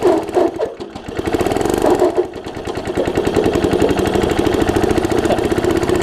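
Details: Troy-Bilt Tomahawk (Gardenway) chipper after its varnished carb jet was cleaned: the engine catches and settles into a steady, even putter that holds speed as the load slowly engages; it runs cleanly with no misses.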